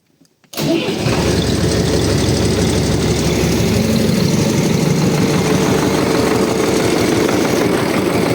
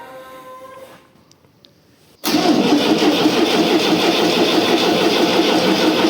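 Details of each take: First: 2009 tractor at 7,566 engine hours, first start after a January 2025 engine rebuild, still cold. Starts instantly into a steady, even diesel clatter about three beats a second, no misses, no smoke, oil pressure about 4; normal start and idle. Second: Tractor diesel, first start after engine repair; even starter churning, about three turns a second, no firing; cranking no-start until diesel bled through injection lines, starter also worn.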